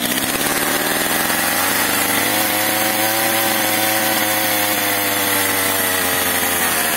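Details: Stihl MS 230/MS 250 chainsaw, first start on choke, stalls and runs unstably. It revs thin, then sags and wavers as if running out of fuel. Suspected carburetor problem or air leak; lean low-speed mixture.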